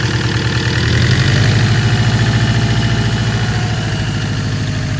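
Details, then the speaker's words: First start of the newly installed replacement engine (old one had a blown ring/cylinder) in the wagon, burning off smoke: low, even idle pulse at a steady rate with no knocks or stumbles; normal idle. "Sounds alright actually. Good. First start ever on this new engine. It's burning well."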